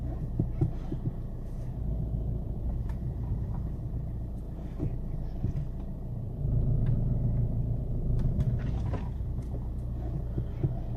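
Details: 2008 VW Golf V 2.0 TDI: low rumble with dull knocks and thumps rolling slowly over a garage bump or uneven road; also occurs with the engine off. Suspension clunk over bumps at low speed, cause unknown to owner.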